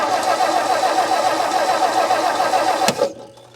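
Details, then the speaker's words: 1959 Meteor left sitting in the bush, hot-wired to coil: starter cranks steadily about three and a half beats a second, never catches; no spark, owner unsure if from corrosion or bad point gap. "Nothing, we got no spark. So, do we have no spark because this is all corroded, or because our point gap sucks?"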